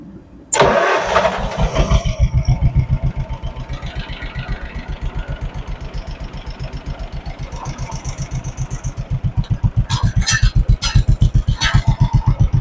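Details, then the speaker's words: 1958 John Deere 420W converted to 12 volt, new battery, abandoned over 35 years: brief crank then even two-cylinder chug about four beats a second; starts easily, steady and healthy. "That was way too easy. We don't get this lucky."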